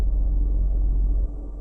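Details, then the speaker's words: 2006–2012 Toyota RAV4 after fuel pump replacement with the missing O-ring refitted (before, it ran 5–10 seconds then sputtered and died from no fuel pressure): steady, even low rumble, idling smoothly and getting fuel. "but as you can hear it's running nice and smooth getting fuel sounds like"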